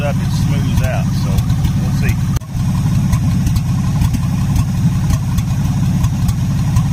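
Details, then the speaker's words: 1977 Ford F-250 Supercab V8: a deep idle with a lopsided, stumbling beat and an irregular drop in firing. Misfire at idle. Cause unconfirmed; the owner guesses a fuel-system issue. "I let this engine run on Tuesday for quite a long time and it never did get over its little mess and it's actually started running worse started noticing more black smoke coming out of the exhaust"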